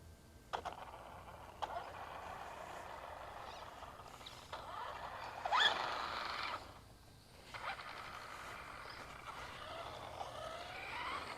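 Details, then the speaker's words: Traxxas Rustler 4x4 RC truck driven outside after its stripped spur gear was replaced: short bursts of smooth electric whir with no grinding or clicking. The drivetrain sounds normal. "It sounds normal. Oh, yeah. Works great."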